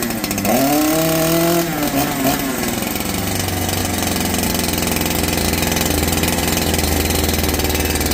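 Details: Holzfforma G372 chainsaw (Farmertec clone), first start after crankshaft seal replacement for a factory air leak that kept it from tuning, chain off, choke off: blips up then settles into steady even idle, no hunting or surging, unlike the erratic running before.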